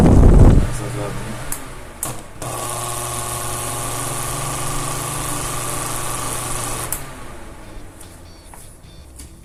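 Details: Arno Turbo fan running: steady hum with a thin, high cricket-like chirping whistle caused by loose end play in its shaft.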